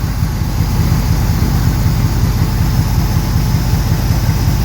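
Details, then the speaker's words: 1968 Camaro V8 revived after sitting 40 years, first start, leaking some water and not charging (alternator or wiring suspected): deep, steady idle, even rumble, no knocks or misses; normal idle. "It's sounding actually pretty good. Leaking some water, but you and I may be able to take this around the block."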